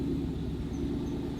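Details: Ford Mustang Boss 302 idling in first gear: a faint high chirp about three times a second, once per wheel turn, from the rear left. The brake rotor and ABS ring wobble, pointing to a bent axle.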